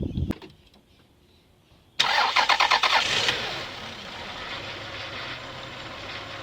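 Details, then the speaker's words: Toyota 1MZ-FE V6 after engine repair, following a fix of an exhaust manifold leak; it cranks briefly, catches and settles into a smooth, even idle with no exhaust ticking, before warm-up. "No more exhaust leak, yay."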